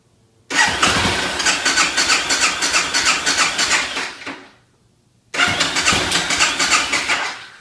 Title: Hard starting BMW f650